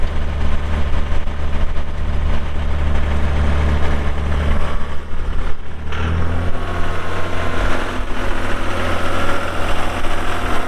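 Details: 2001 John Deere 5320 4WD cab tractor with 541 loader and sync shuttle, showing 358 hours (meter replaced), just fired up: a deep, steady diesel rumble with even firing dips briefly, then settles into a smooth idle. The engine sounds healthy.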